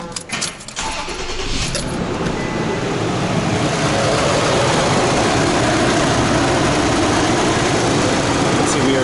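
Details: 2006 Toyota Tacoma after repairing no-start: alternator caused over 20 A draw with key off; new alternator installed, battery 13.1 V, draw 0.1 A. Brief cranking, engine catches and settles into steady, even run; normal start and run.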